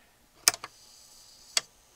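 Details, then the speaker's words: Akai CS-M01 cassette deck after servicing: the motor now runs almost silently, with a faint hiss and a few sharp mechanical clicks; before, it was growling. The belt still tends to climb when starting. "can't even hear it now before it was growling away it still has troubles when I started the belt wants to climb up silent the motor is really quiet now"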